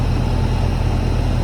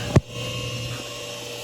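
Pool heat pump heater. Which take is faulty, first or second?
second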